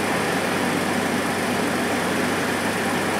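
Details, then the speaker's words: Chevy S10 after GUNK motor flush, cold start after sitting two days: smooth, even idle with no ticking at all; the earlier tick, once thought an exhaust leak, is gone, with good oil pressure. "you just heard absolutely no engine noise whatsoever not even not even a little bit of a tick just fires up no engine noise"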